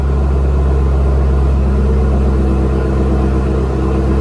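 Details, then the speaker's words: 2017 Chevrolet Camaro ZL1 cold start after sitting overnight: long, steady, droning crank that goes on for seconds without catching; owner suspects fuel pump losing prime, as it starts at once after the pump primes; long crank before starting. "All right, so that's what it's doing. This takes a long time to start up, and I can let it sit overnight, and in the morning time, that's what it's doing."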